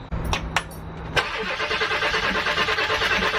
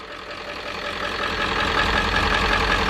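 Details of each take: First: Ford 7.3 diesel van, after fuel filter service, cranking to purge air through the lines: about six seconds of steady starter cranking at roughly three beats a second, no firing; air in the fuel lines. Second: 7.3 diesel van after starter replacement and bleeding air from fuel lines, started with starting spray: catches and settles into steady even clatter, smoothing and getting slightly louder as it warms. Normal diesel idle.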